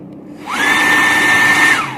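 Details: Servo tester module with potentiometer replaced by a micro switch: a clean whine climbs quickly when the button is pressed, holds one steady pitch about a second, then winds down smoothly when released; motor runs normally.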